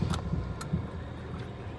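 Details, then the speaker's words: Kia Sportage 2.0 G4KD petrol, 2012, nearly 250,000 km, FWD automatic, first start after engine repair for severe knock: quiet, steady even idle hum, no extraneous noises, before warming to operating temperature; normal idle. "работает тихо никаких посторонних шумов я не слышу сейчас будем греть её до рабочей температуры"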